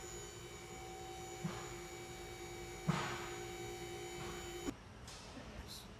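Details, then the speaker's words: 2005 Dodge Magnum R/T, 5.7L HEMI, 123,000 miles, cooling system just flushed, at idle: quiet V8 with a thin, steady fixed-pitch whine over it. Power steering pump whine that needs fixing for state inspection. "Well, you can hear a little bit of power steering whine, and that's one of the other things that it's also going to need for Virginia State inspection."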